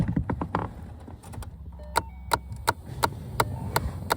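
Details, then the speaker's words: 2011 Ford Mustang, key on, cabin: sharp evenly spaced clicks about three per second from behind the dash; a skipping AC blend door actuator, suspected one of two actuators in that area. "Looks like there's a blend door right there. A blend door actuator right there."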